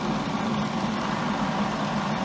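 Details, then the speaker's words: Miller welder cooling fan: steady low drone with a buzzy shake through the casing as the fan vibrates the cabinet; owner fears it may shake something loose on the circuit board and plans to stiffen it. "I'm just afraid it's going to damage other components maybe eventually vibrate something loose on the circuit board I don't know I just don't like it I'm going to do something to stiffen this up"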